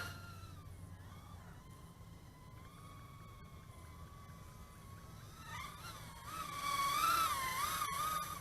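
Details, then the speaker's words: Ideafly IF88 88mm micro brushless racing drone during a punch-out: a thin high whine that wavers and flutters with throttle; the owner suspects the fluttering noise is just the props and motors. "yeah I can still hear hear that fluttering noise maybe it's just the props itself"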